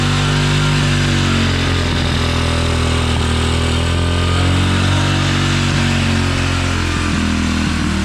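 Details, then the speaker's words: 2016 Tao Tao 110cc pit bike idles rough and unevenly, speed wandering; revs jump when sprayed carburetor cleaner is drawn in, mixture can't be set and idle screw barely works. Intake air leak from a bad gasket; head gasket also leaking. "that thing sounds like it's running a little bit rough yeah but so what's happening is the engine sucking in that carburetor clean cleaner and acting as a fuel and making those RPMs jump up so that gasket is is bad"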